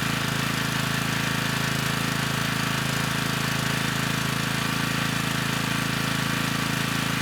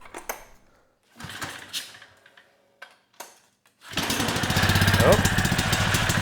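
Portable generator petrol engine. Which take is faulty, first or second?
second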